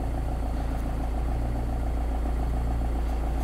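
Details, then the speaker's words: Car at idle after sealing muffler-joint exhaust leak holes with high-temperature metallic paste: steady, even idle with no puffing or ticking; leak sealed. "when you start the engine to check if the leaves are sealed it seems that we don't hear leaks anymore"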